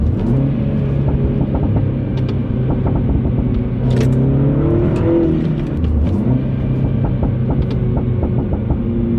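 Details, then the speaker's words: Mini Cooper S F56 with cheapest eBay Gravity Performance exhaust with resonator just fitted, heard from outside: loud, deep drone rising with a rev, a few light overrun crackles and pops; loud but normal-sounding aftermarket system. "So it definitely is louder. It's a lot louder from the outside. And when it comes to the pops,"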